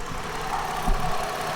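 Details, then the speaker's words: 2010 Ford Fusion SE, 210,000 miles, idling: low, even idle with a steady hum and no knock or miss, runs pretty good; owner notes a small alternator whine only with AC on, suspects alternator may eventually need replacing. Normal idle. "so it runs pretty good"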